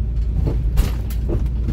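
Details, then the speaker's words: 2001 Honda CR-V, all-wheel drive, automatic: heavy road rumble with dull clunks from the left front over bumps and when turning; suspected loose strut, shock or spring, not confirmed. "it sounds like it's the left side of the car whenever I go over bumps or I turn and I'm what I don't quite know exactly where it's coming from"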